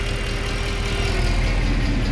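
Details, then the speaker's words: 2014 Mercedes C63 with 91k km on a cold first start after lifter work: a steady whirring hum over a smooth V8 idle; the secondary air pump is running normally and quiets once oil reaches 70–80°C. "if you watch previous videos now it's blowing also the air pump it does have a gallon converters you can hear it"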